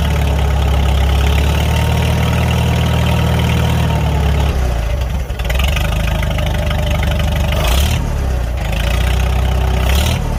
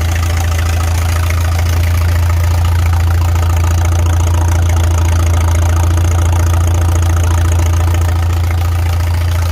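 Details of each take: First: Farmall 300 Row Crop tractor after replacing the rust-holed exhaust manifold, muffler refitted: low, even idle thump, then two clean revs and back down; no exhaust leak puffing or ticking, runs sound. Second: Farmall 300 Row Crop tractor idling out of gear on temporary fuel with the choke open; a faint rapid puffing tick in the exhaust beat consistent with the original exhaust manifold's rust hole, being replaced. Otherwise runs well with no smoke.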